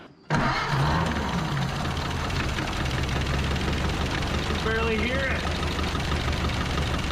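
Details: 1930 Ford Model A coupe barn find, last tagged 1964, first run in 60 years with fresh fuel, no fan belt or coolant yet: fires quickly and holds a low, steady, quiet idle, no knocks or exhaust leaks; pretty smooth, healthy.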